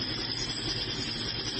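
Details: New kitchen range hood fan running: steady harsh whir with a gritty, glassy rasp that never lets up, like grinding on glass; grinding noise, cause unknown.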